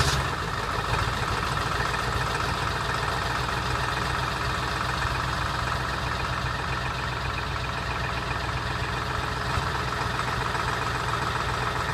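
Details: 2002 Ford F-350 7.3L diesel with bad injectors, sat about a week: rough, uneven clatter at cold idle just after a hard cold start.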